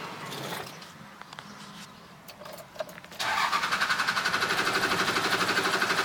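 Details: Cummins 12-valve diesel cranking after running out of fuel; steady starter crank about four beats a second that never catches; hard start, long cranking.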